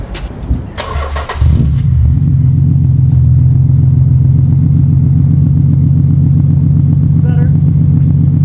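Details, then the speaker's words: Nissan 300ZX Z32 VG30DE with repaired exhaust, after TPS reset and swap from a suspect ECU to a known-good one: brief crank, catches, settles to smooth even idle with no stumble; now running normally. "So we reset the TPS, swapped out ECUs, and this is what it sounds like now."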